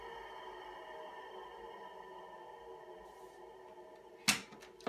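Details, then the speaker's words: Original three-phase 380 V motor from a Micafil Swiss transformer winding machine, rewired with a capacitor and reversing switch: quiet steady hum with faint tonal lines, then sharp switch clicks; runs smoothly, works in both directions. "so it seems that it's working fine in both directions"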